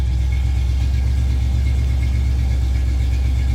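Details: 1987 Chrysler Fifth Avenue, not run for about 6 months, cold January idle after a loose coil wire was earlier tightened: steady, even low rumble with a smooth unbroken beat, no misses or knocks. Normal cold idle.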